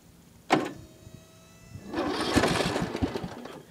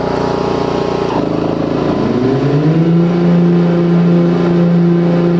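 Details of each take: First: Ariens Zoom 1740 mower with a new replacement Briggs & Stratton Intek 19 hp engine, after the Kohler Courage 17 hp cracked its block: sharp starter clunk and short whir, then a rough start. Owner suspects a bad solenoid; the old engine did this too. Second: Ariens Zoom 1740 zero-turn with new replacement Briggs & Stratton Intek 19 hp engine, after the 17 hp Kohler Courage cracked its block, warm after mowing: strong steady drone with loud whirring blade hum, even and smooth; healthy engine under load.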